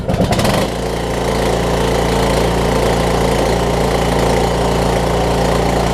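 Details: Craftsman T2200 riding mower, 5-6 years old, 19 hp Briggs & Stratton, after cleaning gel-gummed Nikki carburetor that caused surging: catches quickly, steady idle with no hunting or surging; normal idle.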